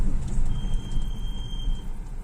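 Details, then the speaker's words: Chery Tiggo 7, cold in the morning, while driving with the brake pedal pressed slowly: thin steady high-pitched squeal lasting over a second; brake squeal, source still being investigated. "медленно нажимаешь вот когда когда медленный педаль нажимаешь это начинает пищать"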